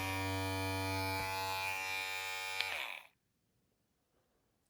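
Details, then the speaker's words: Opove X Prime rechargeable hair clipper, fully charged, running at a chosen RPM setting (about 50). A steady, even buzz at constant pitch with no rattle, then it winds down cleanly when switched off; the motor is healthy. "you can hear the difference [Music] it did pretty good and it felt because of this part here it felt really smooth on the face"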